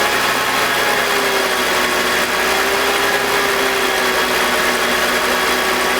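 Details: BMW E46 with M52TUB25 engine, VANOS disconnected during a test for a grinding noise suspected from the VANOS, worst at startup: steady, even whirr and faint hum at idle with no grinding and no RPM drop.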